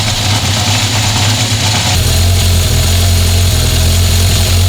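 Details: 1976 Honda CB750F1 four-cylinder after carburettor balancing: even, steady idle set around 1200 rpm, smooth low drone, no stray knocks, responsive. A worn chain is noisy at idle but quiet at 2000 rpm.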